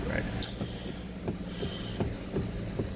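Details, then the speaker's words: 2006 Pontiac G6 with electronic power steering: a loud pop and knock at the steering wheel only as each left or right turn begins, not during a continued turn, from a bad intermediate steering shaft. Replacing the shaft stopped it; a bad rack and pinion is also suspected. "it does that whenever we initiate a turn when we continue turning it doesn't do it but just when we need to see a turn left or right"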